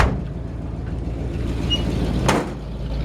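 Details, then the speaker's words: 1952 Ford F1 truck with modified 351 V8, idle, microphone near right-side exhaust: deep rumble with faint rhythmic puffing tick from a small exhaust leak under the right side; exhaust leak tick at idle. "true the truck does have a little bit of an exhaust leak on the uh left on the right side it's kind of like right under here so you can hear"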